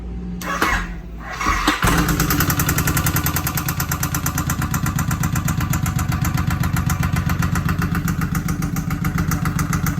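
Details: Newly bought Suzuki Boulevard M109R V-twin starting and idling with a loud steady metallic knock on every beat; cause unknown, owner plans to pull the engine — engine knocking.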